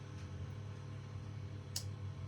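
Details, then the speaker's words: Climma AC plant during testing after repairs (burst glycol pipe, flow meter fault): low steady electrical hum, then a sharp click as the unit switches off, likely a relay; fault later traced to the Semikron bridge rectifier. "Slight click there, especially on switch off. There's a click there, but not on this one."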